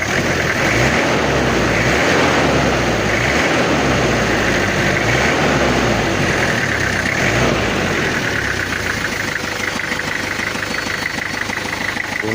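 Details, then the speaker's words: Toyota Kijang diesel after repairing coolant overflowing into the reservoir (cylinder head removed twice before). Steady, even diesel clatter at idle with no knocks or misses, and the temperature is fine. "suaranya aman dan alhamdulillah enggak ada kendala temperatur aman juga"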